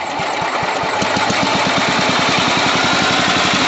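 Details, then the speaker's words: Sears Suburban 12 hp Craftsman tractor after the carburetor mixture was enriched and the idle adjusted: an even, low putt-putt holding a steady slow idle without misses or surging. Normal idle. "Purrs like a kitten, baby. She runs."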